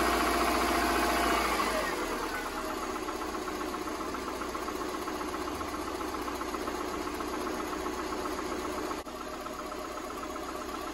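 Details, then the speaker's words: 2005 Subaru Impreza 2.5 non-turbo, cold startup after sitting a few days, mic near engine center: uneven hollow knocking following engine speed, settling slightly; piston slap, loudest cold, quieter once warm. "so this is what it sounds like on cold startup after sitting for a few days i'm moving closer so you can hear it and you can hear it most kind of at the center of the engine here"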